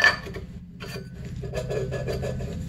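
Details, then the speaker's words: Rear wheel bearing from a 2006 Honda CRF250R dirt bike, spun by hand on the axle: dry, gritty rasp the whole time it turns; the bearing has run dry and is rough, and the rear bearings were found to be shot. "what it sounds dry Zach it is oh my gosh guys you could hear it"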